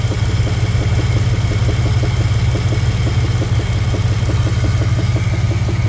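A steady light tapping knock rides over the even idle, roughly three beats a second, clear above the engine drone; source undetermined.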